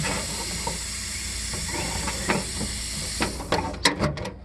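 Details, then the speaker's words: Mercedes 600SEL trunk soft-close: after the trunk is closed, a steady hiss continues with a few sharp clicks as the soft-close actuator leaks vacuum badly; the actuator is to be replaced. "Alright, so let's just close the trunk. Leaking really badly."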